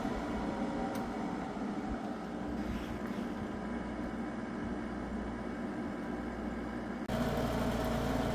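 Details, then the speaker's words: Window air conditioner (GE or newly installed Sharp) running: steady even fan rush with smooth hum, no rattles or knocks; blowing ice cold air and sounds great, normal running. "It's blowing ice cold air. This one is blowing ice cold air and it sounds great."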